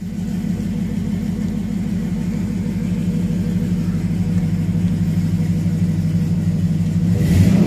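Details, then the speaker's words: 2001 GM (Chevy) truck after an instrument cluster fix (passlock and ABS lights): deep, even engine rumble climbing smoothly as revs rise, no knocks or misses; it sounds healthy. "Man, that truck sounds good. Love Chevy."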